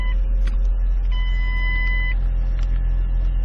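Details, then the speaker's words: 2006 Ford Escape Hybrid, auction car that had been sitting, after a no-start once the hybrid battery pack charged: smooth, steady low idle, no knocks or misses, faint chimes; normal idle, engine will relearn idle while charging the pack. "sounds good idling good and it'll learn the idle eventually"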